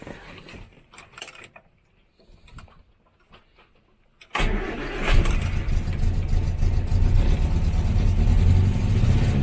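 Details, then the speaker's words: 1968 Morris Minor 1000 first start of the year after sitting, cold, with choke: catches into uneven, lumpy stumbling run while revving; misfire, points later cleaned. "we are having a misfire I'm just gonna check the"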